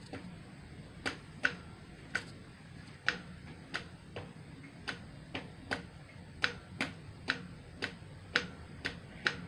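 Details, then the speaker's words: Kohler Command 18 hp engine during rebuild, carburetor fuel solenoid before first start: crisp single ticks about ninety a minute in a quiet room, plunger knocking in and out; solenoid clicking normally. "hear it knocking back and forth in there"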